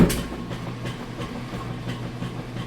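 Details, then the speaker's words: Whirlpool direct-drive top-load washer with a two-part agitator, wash cycle with towels fully submerged: steady rhythmic thumps about three times a second over a low hum. This is the normal agitator kick, reversing normally under load. "So the noise that you're hearing, I call it an agitator kick, and that's what you want to"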